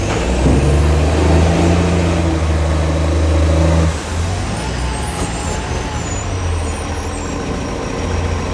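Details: SL780 Euro 3-style Euro 5 facelift garbage truck with an exhaust pipe leak: a deep, loud diesel roar under revs with a raspy, booming edge that drops back as the throttle eases. Exhaust leak, since fixed.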